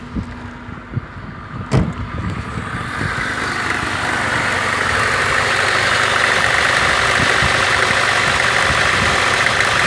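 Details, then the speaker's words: VAZ 2114 1.5 8-valve, cold start then idle with a quick regular crackling tick near the cylinder head, about four per second; disappears once warm; cause unknown. "например когда машина холодная я её завожу и в двигателе какой-то посторонний звук не пойму откуда"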